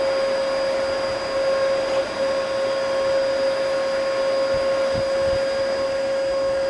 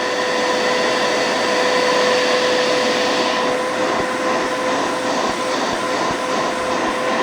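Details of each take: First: Bissell Powerforce bagless vacuum, first power-up, brush bar not turning; steady high thin motor whine unchanged by airflow, no suction. All filters clogged. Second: Bissell Powerforce bagless vacuum after removing clogged filters, including the plugged motor exhaust filter: steady high motor whine over strong rushing air, even and unwavering; suction much better, pulling properly, normal running.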